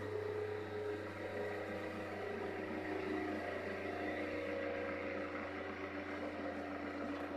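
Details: Rebalanced rotor drum cylinders with center bearing, motor on a table on rubber feet, previous rotor vibrated badly: steady whirring hum, constant pitch, no rhythmic wobble or thumping, no vibration felt by hand; smooth balanced rotation.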